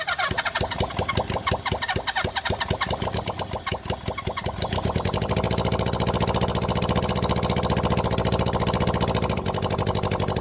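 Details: 1975 Honda CB400 Four rebuilt engine on first start: cranking chuffs, then catches and settles into a steady, even idle; starts easily, idle screw being located, one carburettor keeps flooding, float suspected stuck.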